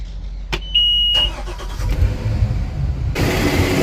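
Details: Volvo Penta in a Regal boat, start after leaking fuel injector repair and exhaust refit, fluids topped off, loose exhaust clamps fixed: sharp click and brief tone, engine catches and settles into even run, no puffing or ticking; normal start.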